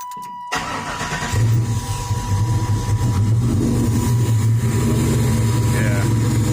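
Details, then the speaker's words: Chevy S10 with LS 383 stroker V8, warming up at idle: engine catches and settles into a deep steady V8 idle with even lope; sounds healthy. "i should let it run man so y'all can hear it when it warms up let me do that it just sounds so good"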